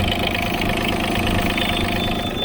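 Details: Yanmar mini excavator diesel idling after replacing a blown Zener diode on the coolant temperature alarm circuit board (gauge read low, alarm came on); steady, even idle, smooth regular beat, no knocks or misses; alarm light now off, engine healthy.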